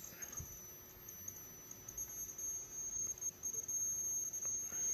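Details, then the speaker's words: Push-pull driven six-layer coil on a gapless ferrite pot core: thin, very high steady whistle over faint crackling as the pot core crackles and starts whistling; cause undetermined. "Вот немножко горшок потрескивать и начинает как-то свистит."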